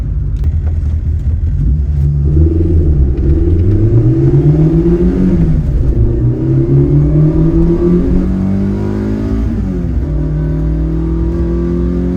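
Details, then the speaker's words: AE86 GTS with a Blue Moon built 16-valve engine, new Haltech Elite ECU tune making 128 wheel horsepower, and a new final drive, accelerating on the road. It pulls cleanly and evenly to the 7,500 rpm redline; the earlier hesitation and misfires are gone. "And it pulls. It feels so willing to get wrung out. We can finally drive the car properly. Before, it was hesitating all over the place. It felt like there was misfires, but now it's just smooth sailing all throughout the 7,500 RPM red line."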